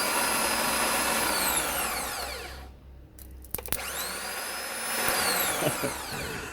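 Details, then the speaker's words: Toyota MR2 with a borrowed ECU and a fully rebuilt setup (new flywheel and clutch). A click, then a high electric whine spins up and winds down by itself, with the battery positive reconnected and no key turned. The starter motor runs on. "hopefully you can hit it that is the starter motor"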